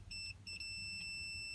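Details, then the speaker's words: 2002 Toyota Sequoia horn fault, multimeter on body ground touching the steering-wheel ground point: continuity beep cuts out then holds as the wheel turns; intermittent ground at the steering column, not the clock spring as first suspected. "Let's see what happens when I turn it. Hear that? Steering column, where ground's at, wherever that is, I still gotta look for it. It's not grounding right."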